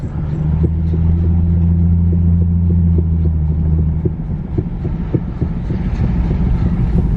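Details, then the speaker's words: Infiniti G37S driver-side wheel while driving: heavy low rumble with rhythmic thumps three to four per second, getting louder, feels like wheel falling off; owner suspects wheel bearing, asks for confirmation. "definitely this is not the sound sounds all right no it's getting louder not the sound you want"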